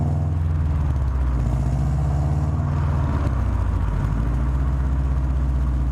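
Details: Subaru WRX exhaust with a loud, deep rumble and a rapid puffing chuff on every exhaust pulse: exhaust leaking at the downpipe flange, recorded before a downpipe-to-cat-back flange adapter was fitted to fix it.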